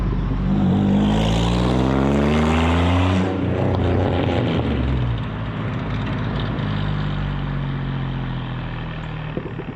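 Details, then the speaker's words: Supercharged Pontiac Fiero drive-by after replacing a faulty fuel injector, car still a little cold: a strong pass with a smooth rising then falling note, even firing, no misses or knocks; it runs a little stronger now. "so yeah man hey that works out pretty good actually it does run a little bit better"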